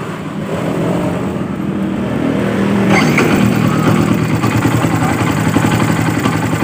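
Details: Yamaha Byson single after starter motor brush repair and substituted Supra starter drive: starter spins briefly, engine catches cleanly and settles to an even idle, battery voltage dipping only to about 11 V: normal electric start.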